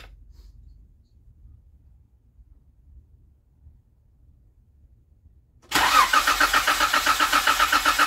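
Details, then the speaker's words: 2016 Jeep Wrangler 3.6L Pentastar with a new Baxter oil filter adapter and Wix filter, primed by cranking twice for about 4 seconds: first start fires into a fast, slightly clattery idle with a brief noise, possibly because the filter wasn't completely full. "all right so that that's primed it made a little bit of noise when it started but might not have been even 100% full"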